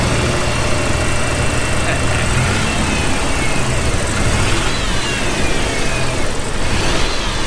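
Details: Toyota 4Runner first run after replacing dead ignition coil with a donor coil: steady idle with lumpy, irregular beat and stumble, miss heard on the up-rev; suspected ignition timing off, idle halfway decent. Engine misfire.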